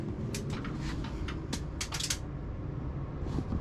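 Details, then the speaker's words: Newly installed basement bathroom exhaust fan switched on from the wall switch; soft, steady airflow hum with a faint, even motor whir and no rattle or grind, very quiet, normal running. "Air blowing, and it's rolling. It's really quiet. That's good."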